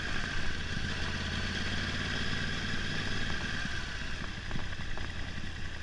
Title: R1 2011 misfire